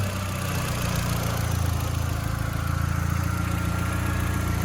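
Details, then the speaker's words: Mk4 Jetta 1.8T with replacement USDM closed-deck block, first running with much still unhooked (N75 fitting unsure), very old gas after sitting 3 years; low steady idle, even pulse, no ticking or knocking; normal idle. "It's gonna be running wonky because there's a lot of stuff unhooked, but no major noises."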